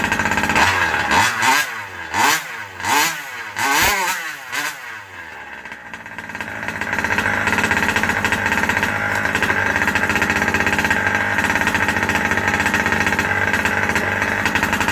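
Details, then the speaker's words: Rovan Baja 5B two-stroke with newly installed 1107 carburetor, not yet tuned: blips unevenly for a few seconds, then settles into a high buzzing run, slow to pick up revs because it runs lean on the low end. "I still have a little bit of a lean spot. I can hear it kind of not wanting to get up on its RPM."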